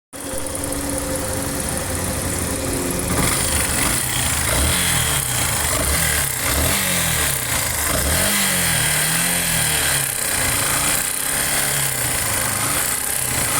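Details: Yamaha Factor 150 single-cylinder motorcycle engine noise: idling with a few throttle blips, an uneven off-beat clatter riding over the exhaust; source not pinned down.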